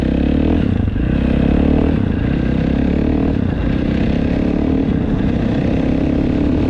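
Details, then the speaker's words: 2015–2025 KTM 450 SXF after transmission repair for a failed 5th gear, test ride: crisp even four-stroke bark pulling cleanly through the revs, no knocks or misfires, all five gears feel good; normal running. "well that is pretty much it she is up and running all five gears feel good"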